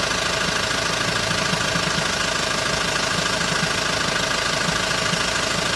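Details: Hyundai ix35 diesel, cold start: during warm-up a fairly steady knock, about two per second, rides over the diesel clatter, described as irregular and gone once warm. Dealer could not find the cause; cold-start engine knock.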